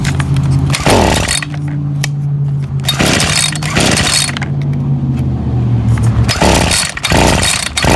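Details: Ryobi SS30 30cc two-stroke trimmer before carburetor low-jet adjustment: uneven buzz, revs sag and stumble each time the throttle is opened. Bogging on throttle.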